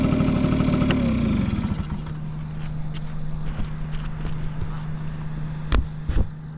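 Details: Vintage Honda Squash (AB11-1064) 12V moped with electric starter: once started, settles to a soft, even idle hum with no knocks or rattles; no abnormal engine noise, healthy quiet engine.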